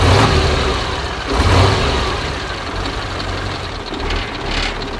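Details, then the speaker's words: Soviet-era Kamaz diesel truck, first start after over 6 months sitting, just after field oil change and new filters: deep uneven diesel clatter with surges as it catches, settling toward rough idle; smoke attributed to storage; normal idle. "Now, the Kamaz has finally started up. As I said before, it's been over 6 months since we last started it, and that explains the smoke."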